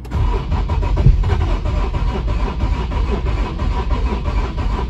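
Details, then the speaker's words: 2013 Infiniti G37 3.7L V6 that shut off while driving, now cranks but won't start; steady but lumpy, uneven cranking rhythm suggests a low-compression cylinder, possibly a timing chain problem; check engine light on. "But as I crank this engine, it sounds really uneven, more like a. So to me, it definitely sounds like we have a cylinder with low compression."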